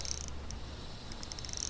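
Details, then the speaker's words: Fishing reel fitted with an MTCW plastic drag disc and anti-surge drag grease, line pulled off by a small fish: slow, sharp drag clicks under light load, acceptable; normal drag clicks. "But you can hear the clicks are totally acceptable with small fish, baby bass."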